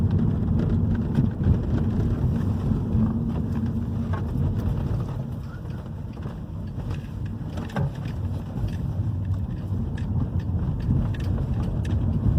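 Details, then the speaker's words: 2011 Hyundai i30 2.0 gasoline on a road test over the same irregular street after the stabilizer bar bushings and both links were replaced: steady tyre and road rumble with a few soft taps and no front-end clunks; the earlier knocking is gone. "já viram o comportamento do carro já mudou, ó, já parou o barulho, tá?"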